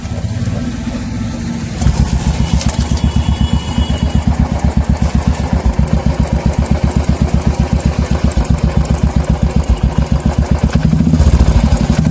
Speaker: दोस्तों आप देख सकते हैं यहाँ टिक टिक टिक टिक टिक एक साउंड कैट कर रहा है दोस्तों। तो दोस्त कभी कभी क्या होता है, इसका जो हाइड्रोलिक्स है वो भी खराब हो जाता है।